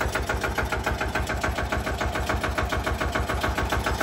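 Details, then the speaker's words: Benford TS25 concrete buggy's single-cylinder Lister diesel (big centrifugal weight) just after a hand-crank start: a slow, even thump of about a hundred beats a minute with no knocks or misses. Normal, healthy idle. "It is a very distinguishable, unique sound. Like I said, it's the only single cylinder."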